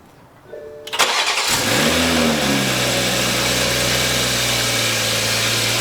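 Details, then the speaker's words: Toyota A90 Supra just fitted with a new turbo after the old turbine wheel had play and ground: short crank catches with a quick rev flare, then settles into a smooth, even idle with no grinding or whistle; normal start and idle. "Okay. So, after 2 days, finally got good old Betsy running again. Had to put a new turbo in."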